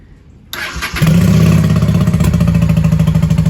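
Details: 1995 Honda Shadow 600 VLX VT600CD V-twin, started in the shop with a pinhole fuel leak still unfixed: starter catches and settles into a smooth, even low thump at idle; normal start and idle.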